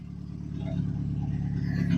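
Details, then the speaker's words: 1992 Plymouth Sundance, first run in about 20 years after fuel system repairs; alternator seized. A short throttle blip gives a loud, deep open-pipe bark that rises cleanly and evenly, with no misses and lots of smoke. The engine pulls healthy. "Well, other than the pile of smoke and the god awful exhaust noise, congratulations."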